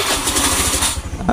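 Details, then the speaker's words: Old Honda Beat FI scooter fires with quick uneven pulses for about a second then dies; hard starting and sputtering, no MIL code; fuel pump pressure to be checked. "kasusnya ini tu mrebet teman-teman mbet tidak mau hidup dan juga sekalinya hidup itu susah ya"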